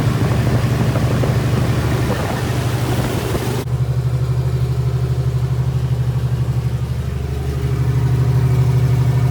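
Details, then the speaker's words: Freshly rebuilt 1977 Toyota 2F in a 1982 FJ45 pickup (new rings, bearings, shaved head, new carb, headers) during 15-minute break-in at 1,500 rpm: smooth low thrum at fast idle, no knocks, ticks or misses; ran good with no issues; normal. "success 15 minutes ran good no issues"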